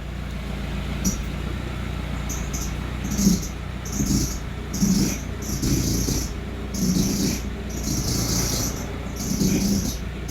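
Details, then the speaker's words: Squeal and creak when turning the steering wheel on an idling Audi A4 B6: recurring creaky squeals and high whistling bursts; a specialist said the alternator pulley with its bearing needs replacing, worn alternator pulley. "один специалист сказал что вот на генераторе вот этот шкив нужно поменять вот с подшипником"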